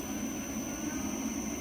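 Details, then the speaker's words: Motion variable-flow hydraulic filter cart, pump speed slowly turned up from 0 while priming: rough gravelly rushing over the pump's steady whir and high whine, with flow-meter needle chatter. Cavitation that stops once speed is raised enough. "and you may see this needle chatter a bit as it gets prime in the pump. Turn that up until you do not get that noise, which is cavitation."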